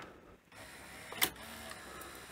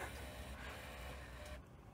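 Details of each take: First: Panasonic NV-V8000 VHS deck after deck and front-loading carriage timing: short motor whirr with one sharp click, mechanism cycles and the pinch roller engages but the tape never moves; the carriage may not be lowering fully; unconfirmed. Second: Panasonic NV-V8000 VHS recorder after timing deck and front-loading carriage: smooth mechanical whirring of the loading gear for about a second and a half, stopping cleanly; cassette loads normally. Normal cassette loading.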